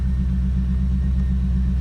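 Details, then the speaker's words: 1990 Chevrolet Corvette convertible V8 idling after start-up: deep, steady rumble with an even firing beat, no knocks or misses; runs healthy. "I'm going to go ahead and shut the driver's side door. Everything up and running just as it should be"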